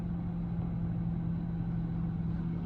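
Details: 2004 Toyota Camry 3.0L 1MZ-FE V6 that kept stalling; with the idle control valve connector unplugged it starts and idles smoothly and steadily with a constant hum and no hunting, pointing to a faulty idle control valve.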